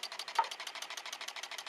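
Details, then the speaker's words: Homemade Joseph Newman-style pulse motor built from microwave coils, running on dying batteries with a capacitor; it slows down a little after running a while, then speeds back up. Light, rapid ticking about ten pulses a second with no low end; motor speed fluctuating. "I noticed when it's running after runs for a while it'll slow down a little bit then it'll speed right back up"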